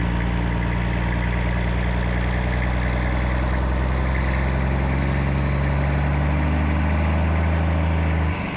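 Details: 1995 Western Star with Cat 3406E diesel after new 6-inch Grand Rock exhaust replaced the holed, sheared-flex-pipe system: deep, steady idle rumble with even beat, no rattles or leaks, then shutdown; healthy exhaust.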